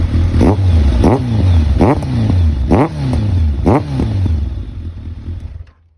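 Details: Kawasaki ZRX1200R engine with the exhaust outlet blocked by a rag to check for abnormal noise; deep, even idle rumble with a soft puff roughly every 0.7 s, no knocking or ticking; normal idle, no abnormal engine noise.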